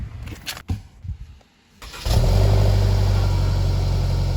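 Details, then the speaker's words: Toyota Camry SE, cold start: quick crank, clean catch, then smooth even idle with steady low hum; slight upper-end rattle under hood attributed to valve train or injectors, typical. Normal cold start. "that was clearly non- climactic pretty simplistic"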